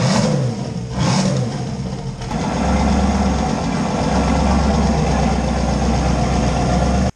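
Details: LS 5.3 V8 swapped Fox Mustang, first start after adding fuel to dry tank, 60 psi fuel pressure on one pump: deep burble settling to steady even idle with a clean rev; running smoothly.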